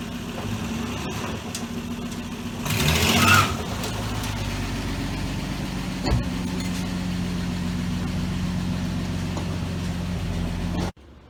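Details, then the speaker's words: 1966 Dodge Dart GT, Slant Six 225, on a wet road after timing was reset from way advanced (about 20–25° BTDC). Could not do a burnout before. Steady, even low hum under road noise, no popping or stumbling. Running much better, normal. "okay so i could not do a burnout before i don't know it's wet that helps out a whole lot but uh yeah it's running much better"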